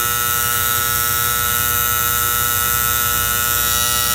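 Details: Antique gas furnace: steady electrical buzz with a fixed, slightly rattly pitch from the magnetic diaphragm gas valve. Owner suspects the spring-loaded plunger; cause unconfirmed.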